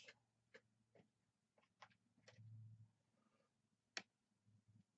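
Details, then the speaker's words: Mercury inline-six outboard switchbox bench test, with power to the switchbox, brown and white jumpered and a jumper grounded: sharp, crisp snaps about a second apart with a visible blue spark, showing the switchbox is good. "if you've seen a little blue spark but that's what that is that's telling us our switch boox is good"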